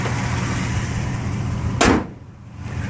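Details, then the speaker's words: 1969 Buick GS California with a 280hp 350 V8, Turbo 350 and very low miles: a low, steady, even idle rumble after start-up with no knocking or ticking. The engine sounds good at appraisal with only slight exhaust condensation. "Engine sounds good, no obvious knocking going on."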